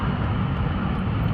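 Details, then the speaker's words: Honda at three-quarter to full throttle: engine drones low and flat, not building revs, sagging and slowing until idled and gently built up; hesitation under acceleration, cause suspected, not confirmed. "if I floor it or three4 floor it it hesitates and then I have to let it idle and then I can gently build it up again to where I can build up some speed"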